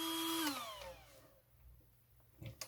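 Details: RC car cooling fan on external 6 V NiMH supply, single fan running: sharp steady high whine that cuts off at half a second and coasts down in pitch; fan too loud, quietened by adding diodes.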